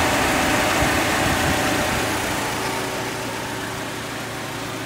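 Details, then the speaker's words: Suzuki Grand Vitara after A/C compressor, expansion valve and condenser replacement and regas: steady idle with an even condenser fan whoosh, system cycling, no squeal or grinding from the compressor; A/C working normally and blowing cold. "finished regas assisting everything working perfect and also the system cycling guys by in a lot of you can water hear the condenser fan running"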